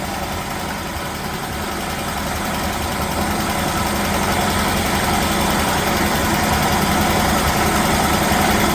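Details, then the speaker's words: 1969 Chevelle small-block Chevy V8, first start after sitting: steady idle with a light regular tick about three to four a second, possibly a lifter; the water pump bearings also sound bad. "Sounds good. Oh, that's a good running car. A little bit of lift or tick maybe, huh? You got oil pressure?"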